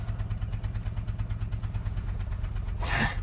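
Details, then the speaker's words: Citroën Xsara Picasso with low-power complaint and engine light, idling right after clearing codes and restarting: rough, uneven lumpy chuff about three times a second, a very bad misfire; scanner not registering it, one cylinder suspected. "It's not picking up the misfire now, apparently. That is very, very peculiar. It must honestly be picking up on that. Flippin' heck. Right, okay. We no longer have the, I mean, it's quite clear that we are having a very, very bad misfire."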